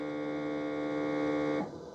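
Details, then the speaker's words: Ecovacs Deebot T80 Omni dock water pump, which failed during the first cleaning, running when a cleaning is started: steady mid-pitched electric hum for about 1.5 seconds, then cuts off. Normal pump operation. "I think the water pump is [music] working now. Yeah. And that's I hear that. That sounds like a water pump."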